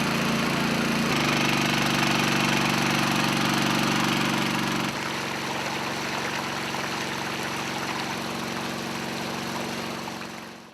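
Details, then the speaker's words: Dayliff engine-driven water pump, small single-cylinder engine, just rope-started on choke: runs evenly, then settles slightly lower and steadier as choke is eased off and throttle set to working speed; running normally. "Vuta mkono wa kamba ili engine iwake. Achilia choki polepole na gusa accelerator ili engine ikimbie kwa kiwango cha spidi takiwayo."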